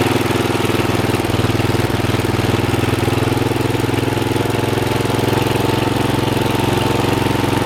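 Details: Old Troy-Bilt mower after new piston rings (old ring gaps almost three times spec) and a brand-new carburetor, fresh oil: steady, even low putter at constant speed, no knocks, hunting or surging; runs smoothly.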